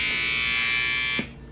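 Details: Newly wired custom Halloween guitar through an amp: harsh, bright, constant buzz that cuts off abruptly; suspected ground fault in the guitar wiring.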